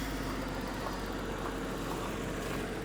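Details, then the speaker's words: Jaguar XJ40 six-cylinder after engine swap, about an hour on cheap flush oil, near operating temperature, good oil pressure: smooth steady idle with light injector ticking, no knocks or misses; idle still high, needs adjusting. "oh injectors are always quite noisy 40s but engine does sound nice and"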